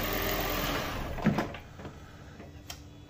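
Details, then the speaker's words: Toyota Prius just jump-started, jump box disconnected: soft gas-engine hum fades out within a second to quiet; normal petrol engine shut-off, hybrid expected still running. "you can hear the car shut off but that is just the gas engine the hybrid should still be running"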